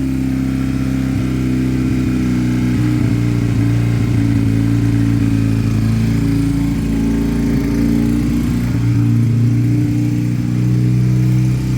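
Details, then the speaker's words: Piaggio Fly scooter, no choke, idle being set: idle revs up and hangs raised rather than settling back down; owner feels he is chasing an air leak. "that appeared to rev up a bit [Music] there let's get these revs down again I feel like I'm definitely chasing an a leak"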